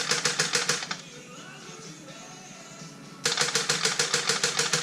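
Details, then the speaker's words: Chevy HHR turbo build (Supr_Sl0 2.0), freshly installed motor, cranked with no fuel (fuses 13 and 19 pulled) to build oil pressure: sluggish starter churn at about three turns a second with a pause, no firing, from a low battery. Transmission probably still in gear despite the shifter being in park. "Battery's low. It was at this moment we realized we messed up."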